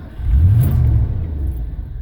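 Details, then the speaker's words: 1989 Ford F-150 with 5.0 L engine, intermittent no-start that now won't start at all: catches with a short rising rev, then sags and dies within a second or two; runs a little longer with throttle or the key held, but won't stay running. "runs a little bit more and I can I can hold the key on it kind of runs but that's it won't stay running"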